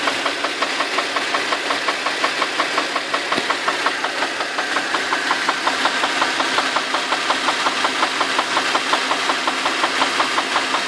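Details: Infiniti FX35 engine warmed up at smooth idle: steady even tick about three times a second, a light knock from inside the engine.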